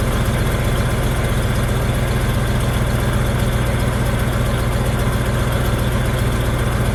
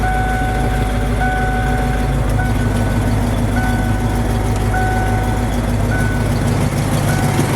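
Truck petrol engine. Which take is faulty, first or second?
first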